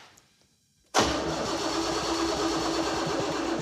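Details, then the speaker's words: El Camino with a freshly installed 454 V8 after rewiring: fast, strong, even cranking with oil pressure but no firing; cranking no-start from no spark, traced to an unattached ground. "That's cranking gang busters. That's great. Let's see if it has oil pressure."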